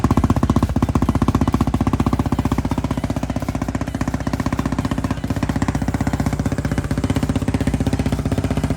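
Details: 2019 Yamaha Raptor 700 after a full Big Gun exhaust and Big Gun tuner install: crisp, even single-cylinder thump at about four pulses a second, loud through the open exhaust; a clean, healthy idle.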